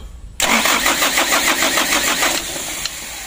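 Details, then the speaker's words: Mitsubishi Canter diesel truck, hard to start, on the roadside: even rhythmic cranking chug for about two seconds, throttle held high, never catches; owner suspects the ignition key switch. "Coba ya kita starter berkali-kali di gas eh mentok bekas tinggi juga tidak mau hidup"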